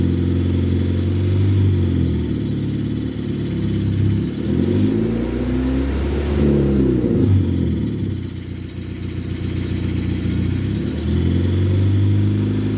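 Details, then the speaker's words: 2005 Nissan Sentra with a broken exhaust: deep rhythmic knock at idle from under the engine. It fades above about 2,000 rpm and returns below. Engine knock, cause unconfirmed; oil sample requested. "okay so hopefully you guys can hear that at a certain RPM like 2,000 RPM or500 something like that the noise kind of goes away and then once you drop below that RPM uh the noise comes back again"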